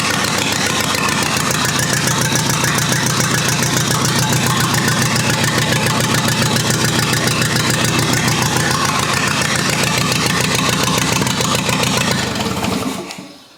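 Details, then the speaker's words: Rebuilt U23 engine on its very first start in 25 years, non-original carburetor still needing adjustment: steady, even firing about three and a half beats a second, no knocks or misses, then clean shutdown; running smoothly. "folks believe it or not but this was truly an initial start and it fired up almost immediate"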